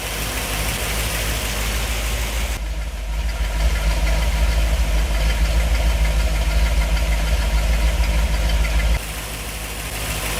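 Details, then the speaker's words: 1964 Ford Thunderbird FE 390 V8, first start in over 40 years with newly installed Edelbrock Pro Flow EFI after fuel mapping was changed for lean starving: deep, steady even idle, one brief rev then settling; runs smooth and healthy. "oh yeah sounds good all right and there you go pro flow EFI system is now installed"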